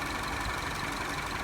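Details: Citroen C4 idling evenly and steadily with no knocks, misses or hunting after the no-start fault was fixed by resetting the circuit breaker above the battery; engine running smoothly.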